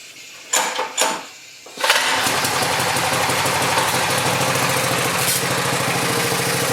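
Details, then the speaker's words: Cheap returned pressure washer, engine starts after two rope pulls and stays at a flat, unchanging idle whatever the engine speed control setting; it never revs up. "the only problem i've noticed so far is that no matter where i set the engine speed control it just wants to idle"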